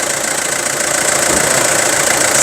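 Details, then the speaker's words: Isuzu Rodeo 4WD diesel with imported engine, inline diesel pump dry and leak-free, no turbo or intercooler leaks, normal cooling: even, light diesel clatter at steady idle with no knocks, misses or hunting. A quiet, healthy diesel idle. "เครื่องเงียบๆนะครับเทอร์โบไม่มีรั่วไม่มีซึมอินเตอร์ไม่มีรั่วไม่มีซึมนะครับ"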